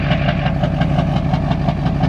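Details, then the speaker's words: Duramax diesel truck smoking at idle: even clatter with rapid, regular knocking pulses and slight unevenness; rough idle, owner suspects a dirty injector stuck slightly open, not confirmed. "So I think I just got an injector with some dirt in it for real. I might be stuck open a little bit,"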